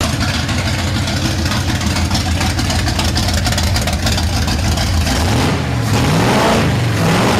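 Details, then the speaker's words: Carbureted 350 in a build, new exhaust and cooling fitted, fuel pressure still uncorrected: uneven loping idle with a stumble from a misfire; two spark plug wires found swapped. "Turns out those two spark plug wires are backwards. So flipped them around. It runs great now."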